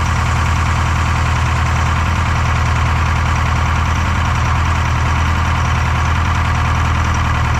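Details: Detroit 4-53T two-stroke diesel with 9G90 injectors, about 30 miles on them, run in the shop on diesel at high revs with the modulator off (full rack): lumpy, uneven beat, about 200 pulses a minute. Number two injector, coldest on the IR gun, not firing: dead cylinder.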